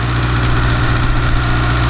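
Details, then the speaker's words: 1991 Honda CRX Si barn find after 10+ years sitting: steady low idle with even beat and no misses after two stuck injectors were freed by tapping their bodies with a hammer; still slightly rough on revs while burning off diesel. "You can always take a little hammer and check the body of it and it idles fine."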